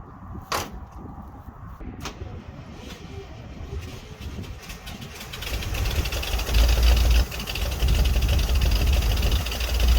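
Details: 1961 Dodge C800 ramp truck, 361 Chrysler big block, cold start: a few clicks and cranking, then catches into a heavy, lumpy, clattery idle. Cause of roughness not confirmed.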